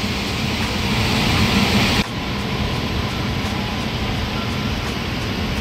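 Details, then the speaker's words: Liebert steam humidifier after replacing a failed relay, 25 volts at the fill valve: steady water hiss without the former buzzing or chattering, then boiling; fill valve feeds cleanly. "there it is nice boiling water creating steam tank is hot like a spicy meat-a-ball"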